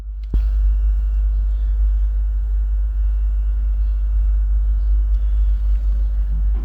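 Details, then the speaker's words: JBL ES250PW subwoofer droning a steady low mains hum even at half volume, keeping it from standby and risking amplifier burnout; suspected ground loop from a turntable with no ground wire connected to the amplifier. "i don't know if you can hear it but i have a humming noise a background noise"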